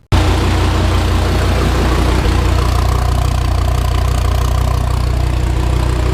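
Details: 2016 Dodge Viper twin turbo V10 build, after the build: steady deep idle with an even, lumpy pulse and no knocks or rattles; normal idle.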